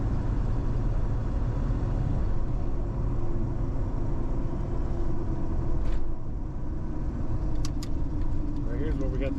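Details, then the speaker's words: $500 Ford Super Duty with a 7.3 Powerstroke diesel, after replacing the ICP sensor and IPR valve that caused a dead pedal, cruising around 55 mph: steady low drone with even road rumble, no stumbles or surges; normal cruise. "I'm around 55 miles an hour and it's just as comfortable as it could be"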